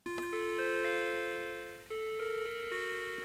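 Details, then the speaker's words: Mac Classic logic board after recapping and repair, interrupt button pressed during boot after the startup bong, analog-board speaker facing down onto the desk so it sounds faint: short minor-key electronic melody, the normal sad Mac error chime. "Now, if I push the other interrupt button, we'll hear that sad Mac tone."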